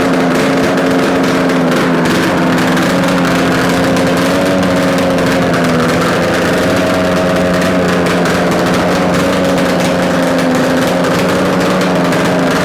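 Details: Yamaha RD250 two-stroke twin on a test-stand mount with total-loss ignition, idling after coil wire swap and carb adjustments; steady, even buzz with no knocks, rattles or stumbles; normal idle, likely a good engine.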